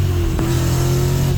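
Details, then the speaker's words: 1965 Chevelle with new clutch that has failed, pedal hard as a rock: engine drones loud and steady under load, revs hanging high without pulling; clutch slipping from first gear and again in third, cause undetermined. "first gear sounds like it's slipping right off the bat here"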